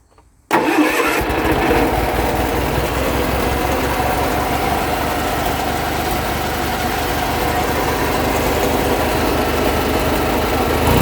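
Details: Deutz-Allis mower, cold start after it had been running near high rpm and the throttle was brought down. It cranks briefly, catches within a second and settles into a steady, even idle with no knocks or misses. It runs fine but needs hydraulic fluid.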